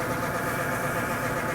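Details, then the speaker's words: 24 V 150 W shower water booster pump; steady motor hum with a buzzy, rattly edge; owner suspects the impeller inside has become loose with use. "sound similar to the propeller inside It started to become loose after using it for a while. With a sound like this, I recommend that you try another brand."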